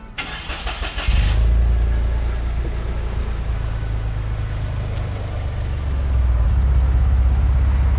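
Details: Daihatsu Ayla Turbo, after 5 years sitting, following an oil change and gearbox rebuild: about a second of cranking, then it fires and holds a steady, even low idle, described as smoother; normal start.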